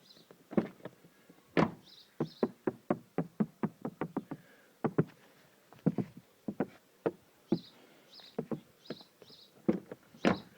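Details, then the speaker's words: Mazda 3 door handle, after the door was sound-deadened, Madeleine tape added at the handle mount and grease applied to the spring, works with crisp plastic clicks and firm latch thumps and no squeak or rattle. "прошу млин и прекрасно закрываются ни одна ручка теперь не дребезжит не скрипит и всем удачи"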